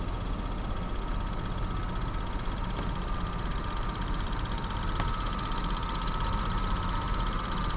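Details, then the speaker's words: Petrol engine idling with a fine, fast ticking, recent after a valve cover replacement; sounds loudest at the front of the engine by stethoscope. "oh I can hear that ticking way more intense now hold I'm going to grab my stethoscope she said she heard it more back here but to me it sounds like it's coming up front"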